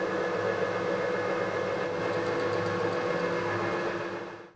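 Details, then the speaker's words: Harrison HS178 universal milling machine table motor running after new bearings and a new gearbox base seal; 0.8 mm gasket gave too much end float, 0.3 mm gasket being tried. Smooth, even mid-tone hum winding down, no grinding: healthy bearings. "this time I'm going to try a 0.3 millimeter gasket anyway the motor's running that's the thing"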